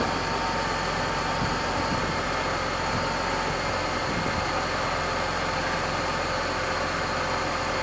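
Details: Mercedes-Benz W124 E320 straight-six after a home service with new engine oil, automatic transmission fluid, oil filter and air filter: steady, even idle with a smooth hum and no knocks, ticks or stumbles; healthy engine.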